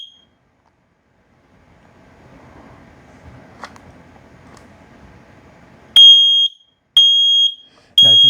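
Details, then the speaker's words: Kidde i9010 smoke alarm with 10-year sealed battery, activated in its bracket, press-and-hold test: three loud, piercing beeps about a second apart; smoke alarm test tone, working normally. "when you first turn it on it will chirp at you to let you know that it's activated so we're going to push and hold to test"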